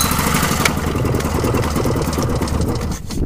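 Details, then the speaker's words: Pull-start engine with a shortened pull cord, whose plug was badly fouled the day before: rough, irregular chuffing and popping while pulling never settles into running. The cause is not confirmed. "crank it quite a bit to to get it to Pump Fuel up and start but anyways um and this one yesterday I had it fouled out pretty bad"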